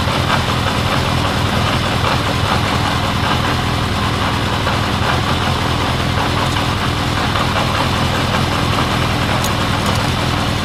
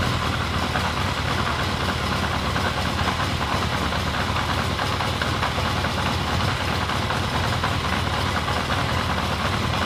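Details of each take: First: 1979 Honda CB750 K four-cylinder after carb cleaning, rebuild, bench sync, then vacuum-gauge carb sync and idle knob adjustment: even, steady idle with slight cadence, no stumbles; sync had been out, now smoother; normal idle. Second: 1979 Honda CB750 four-cylinder at idle after carb clean and bench sync, fuel bottle-fed: busy, lumpy, uneven idle; vacuum gauges show carburetors out of sync and needing matching to the master carb.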